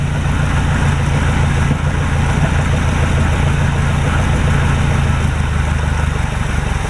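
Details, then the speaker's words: 1949 Chevrolet straight-six, off the road since about 2005, first start after storage: idles steadily with slightly uneven loping beat and heavy smoke from both exhaust pipes; owner suspects oil leaked past valve seals onto pistons. "We've got a lot of smoke out of both of the exhaust pipes. This thing, according to the inspection sticker, hasn't been on the road since probably 2005. So my suspicion is there's oil up in the heads, or it's leaked down through the valve seals or through the valves, and probably got down on the pistons."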